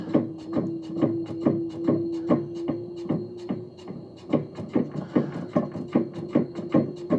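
Even rhythmic rubbing thumps about two and a half per second over a steady low hum, keeping pace with the washer's motion; source unclear.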